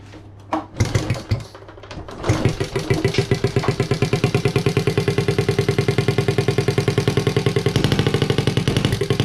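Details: Honda Z50A monkey bike after fitting CR70 stator with original flywheel, manifold not connected to silencer: a few cranking attempts, then catches and settles into loud, even, blatty idle; normal running, open exhaust.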